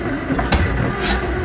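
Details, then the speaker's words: Farmall 650 tractor, sat a long while, with fuel and spark confirmed: heavy cranking with a few uneven catches that never settle into a run until the battery dies; fires but won't start. "Come on, girl. I run my battery down yet. Well, it sounds like she wants to go."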